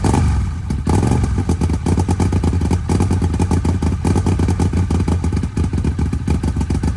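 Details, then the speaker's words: Arctic Cat 1000 side-by-side engine, first crank after installing a new starter and upgraded gear, jumped from a truck, metal shavings still in the oil: starter spins briskly with an even beat, then it catches and runs with a steady, regular clatter; normal start. "we're going to see if it'll crank for the first time not going to let it run long because I still want to drain the oil out of it and get all the metal shavings out"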